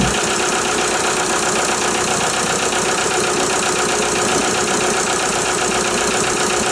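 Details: VW Jetta A3 TDI diesel started after glow plug harness replacement and bleeding the injector lines: steady, even diesel clatter at idle with no misses or stumbles; normal diesel idle.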